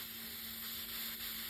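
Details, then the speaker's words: Hot-water heating radiator that was partly cold, bleed valve opened after refilling the flushed system: steady high hiss of trapped air being pushed out by the water, no water sputter yet. "I want to open the valve you hear that air so that's now the water pushing the air out of the"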